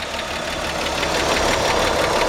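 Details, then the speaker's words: 1953 Chevrolet 210 sedan, 216 straight-six with chrome valve cover, 6-volt system: steady, even idle with soft uniform ticking, no uneven beat or heavy knock; quiet, smooth, purring engine. "It's just a quiet, smooth running. These engines are just bulletproof."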